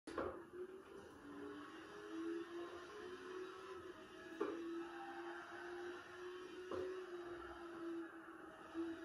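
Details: Thrustmaster T300RS GT wheel, torque 4-5 and FFB 6 in GT Sport: steady motor hum with sharp pops when turning quickly from one direction to the other, fading at torque 1-2; the motor's D shaft slips and moves inside its plastic cog.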